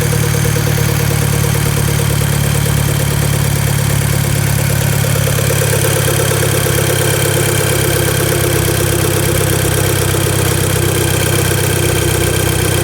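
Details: VW Golf MK5 GTI at idle: busy mid-range rattle and hum over the engine note; owner asks if it is normal, cause unknown.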